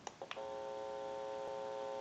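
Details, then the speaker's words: Repaired and converted 3-slot payphone with bell box, dial tone switched in via an open amplifier: a few clicks, then a steady clean tone at even pitch with faint electrical hum from the amplifier, not the payphone; line works normally. "When I press the button, I can give dial tone or take it away at any time."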